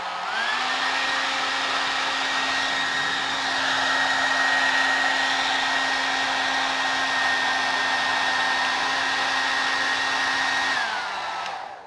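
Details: Suzuka hair dryer with a stuck power button, tested opened up and connected directly: steady motor whine holds one pitch for ten seconds then winds down cleanly; motor fine, the fault is the stuck button.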